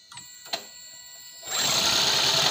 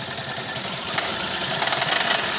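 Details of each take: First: Toyota Prius C/Aqua hybrid that had a P0171 lean code, check engine light and rough idle after a fender bender, started after the intake was replaced: the engine fires and settles into a smooth, steady idle without stumbling or hunting; it runs normally. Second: Toyota Prius C/Aqua hybrid after a fender bender, P0171 system too lean, check engine light on: harsh, uneven idle with loud tinny rattle and heavy vibration; rough idle, cause not yet confirmed.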